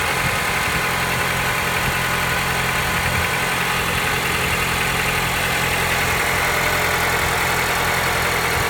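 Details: Honda Accord 7th generation 2.0 at idle: a light knock about three or four times a second rides over a steady idle; cause suspected, not confirmed.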